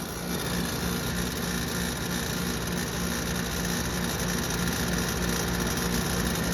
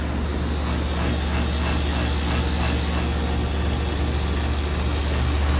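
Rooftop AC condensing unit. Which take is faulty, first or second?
first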